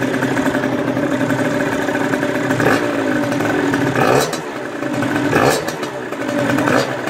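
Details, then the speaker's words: 2017 Beta 50 RR two-stroke with 70cc Top Perf kit and 21mm Dell'Orto PHBG carb, after throttle cable replacement: idles, four quick blips drop cleanly back to steady idle, no hanging revs; throttle returns properly. "vérifiez bien que votre moto etienne le ralenti comme avant que s'accélère pas tout seul en fait"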